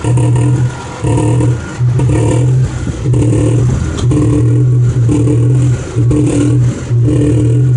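Uneven thumps about once a second come with each blip of the throttle; a knock is clearly there, but its source isn't clear.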